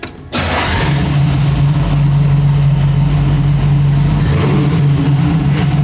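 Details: So-Cal Speed Shop Roadster small block Chevy V8 just after mechanical fuel pump replacement, first start: strong steady low burble at one even pitch, no misses or ticking; idles smoothly and healthily.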